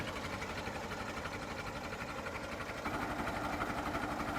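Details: Late-1955 Farmall Super MTA diesel tractor, recorded up close at idle: even, steady chugging about four beats per second with no misses or knocks; normal healthy idle.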